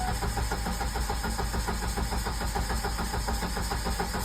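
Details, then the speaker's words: 1999 Ford Ranger 2.5 L four-cylinder, fuel pump relay pulled to bleed fuel rail pressure before a fuel rail and injector swap: steady rhythmic cranking, under two turns a second, with no firing at all; it will not start. "Okay, so what we're gonna do now that the fuel pump relay is pulled is we are going to try to start the truck, and what that'll do is it'll expel all the pressure off the fuel rail. So here we go. It will not start."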